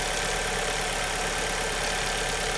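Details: 2002 Alfa Romeo 147 2.0 Twin Spark, after the misfire was fixed by replacing the last of four ignition coils and plugs: steady, even idle hum with no stumbles or missed beats; normal idle.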